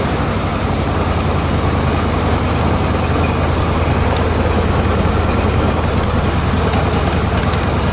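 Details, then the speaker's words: Zero-turn mower after replacing deck spindle bearings and hydro idler pulley bearings, run at higher rpm: smooth even engine and blade roar with no grinding or whine; formerly loud bearing noise gone, running normally. "did you notice there's no bearing noise used to the bearing noise was so loud that you almost couldn't hear the engine or the blades over the bearings"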